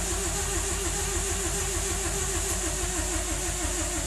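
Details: 1997 BMW 318i that sat six months, new battery, plugs and valve cover gasket, spark checked: steady starter churning about 200 beats a minute with even compression pulses, but never fires; cranks but won't start.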